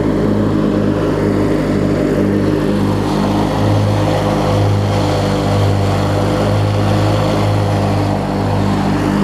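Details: Craftsman LT1000 rider with an opposed-twin engine, blades engaged and deck strapped: steady twin-cylinder drone with an even blade hum and no knocking or scraping. Mower and deck run fine.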